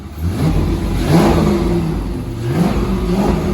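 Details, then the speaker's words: Abandoned 90s Corvette C5 V8, manual, after replacement PCM/ECU install and security relearn: engine revs cleanly, blips rise and fall with throttle and settle without stumbling or popping; sounds healthy, though fuel pump not yet turning on by itself. "sounds right there right then turn it off so go on sounds good doesn't it it just it does sound good sounds Mega um and I'm glad to say that the engine sounds nice yeah it sounds Mega"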